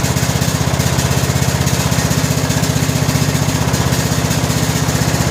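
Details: 2000 Scotts lawn tractor (John Deere-built), 17 hp Briggs & Stratton Intek OHV single, after fitting a new correctly gapped spark plug: steady even chug about three pulses a second, no popping or misfire; running good.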